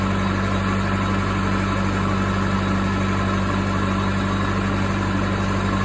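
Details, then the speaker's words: Case 450B dozer, 207 diesel, just after reinstalling rebuilt injection pump (oil diluted with fuel): steady, slightly fast diesel clatter with an even low drone, no load; idle set a little high, may need adjustment. "all right guys so that was the 450b injection pump uh sounds like it idles a little bit high so I'm probably going to have to uh work on that a little bit"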